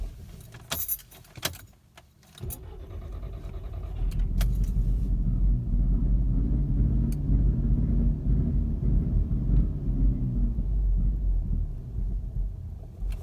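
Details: Mk6 GTI: after driving to operating temperature, shutting off for about 15–20 minutes and restarting, the engine catches into a lumpy, uneven low idle that wavers and rumbles; random rough idle/stalling, cause unknown.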